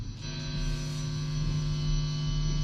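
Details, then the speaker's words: Stratocaster-style guitar with single-coil pickups, plugged into an amplifier with the volume knob turned up and nothing being played, before copper shielding of the pickup cavity: steady low fixed-pitch buzz of 60 Hz mains hum. "as soon as i turn the volume knob on you can hear the ground noise and i mean that is the 60 hertz noise"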